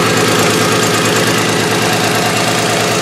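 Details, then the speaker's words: Demolition derby car after a race, smelling of two-stroke with smoke from the radiator area, in rough shape: loud, lumpy idle with an uneven beat of about three per second and dropped pulses; engine misfiring at idle. "You can hear misses everywhere. Let's hear this thing rev up."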